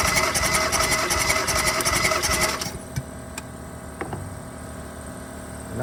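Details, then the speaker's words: 2016 Kia Soul 1.6 L with P0300 random misfire (cylinders 3 and 4), spark plugs removed for a compression test on cylinder 1: reads 120, fine. Even, rapid cranking chug about 160 a minute with no uneven strokes. Normal cranking compression. "compresión subió hasta 120. Este cilindro está bien."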